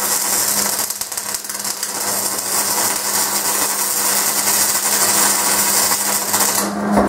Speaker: so did you guys hear that like popping it's called stubbing it's me bringing in so that was a really fast wire speed so it was just putting out way too much wire